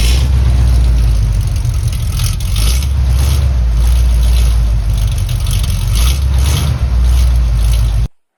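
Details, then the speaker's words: 1976 Highboy truck started on battery for the first time with its newly built, MIG-welded exhaust. Soft, low V8 burble settling into an even, very quiet idle; the engine runs healthy: normal idle. "Battery fired up for the first time. Hear what it sounds like. Oh, it's so quiet."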